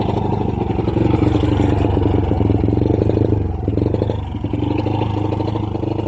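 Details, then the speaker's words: Honda Wave 100 carb-type single-cylinder motorcycle: even at full throttle it chugs unevenly and stays flat, struggling to build power; bogs and will not rev, CDI to be checked first. "Yun know, kahit anong full throttle natin guys, no, hirap talaga makabuelo ang pwersa ng kanyang makina. So ibig sabihin guys, may problema ang kanyang motor."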